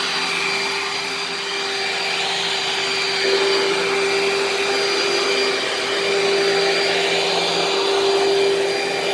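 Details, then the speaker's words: Dirt Devil vacuum cleaner running: even high-pitched motor whir over a steady rush of air, no rattle or surging, loud but not too loud; normal running. "it's also not too loud for a dirt devil i mean don't get me wrong it's loud but it's not for a dirt devil it's not too loud is it"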